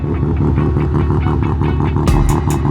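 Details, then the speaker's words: Mazda RX7 with freshly rebuilt bridgeport 13B rotary by Rotary Motorsport: loud choppy brap at idle with quick regular pulsing beats and deep exhaust thump, felt in the chest; normal rotary idle. "So angry now. I can feel that in my chest."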